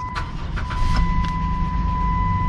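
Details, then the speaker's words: Auction car with third-row seating and rear air being checked for a flip: fires right up and settles to a steady even idle with a chime above, rear air running. Normal engine start. "seems to fire right up i can hear the rear air running so that's a good sign"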